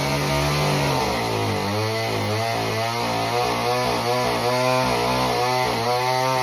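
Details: Homelite Super Mini chainsaw that previously wouldn't run, rev or idle, after repair: strong two-stroke revs sag and recover while cutting a big log, clean and crisp under music. Normal running under load.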